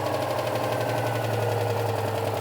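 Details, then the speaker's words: Barn-find classic petrol car with points ignition, long stored, just started, now off choke: quiet even idle with smooth steady beat, no exhaust rattle or blowing; exhaust intact, normal idle. "yeah that's really quiet isn't it exhaust system's obviously not falling off"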